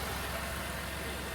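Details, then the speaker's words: 2008 Dodge Nitro after water pump replacement, no-start fixed by disconnecting negative cable with ignition on to deactivate alarm: quiet steady low idle, even hum, no stumbling or knocking; running normally. "está trabajando bien Eso quiere decir que ya todo quedó bien"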